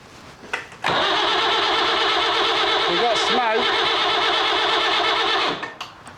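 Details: Leyland 154 tractor diesel with new glow plugs, new starter motor and freshly bled fuel: about five seconds of steady starter whirring with no cylinder firing while air is bled from the injector lines; the diesel pump is leaking badly and the owner is unsure it is any good.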